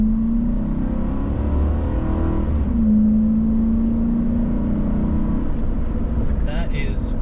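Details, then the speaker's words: 2005 Ford F-150 5.4L V8 with new full exhaust, full throttle while driving, heard from inside cab: deep, even note rising smoothly with no drone, shriek or rasp; exhaust sounds normal. "Perfect. There's no drone, there's no shriek, there's no anything you don't want."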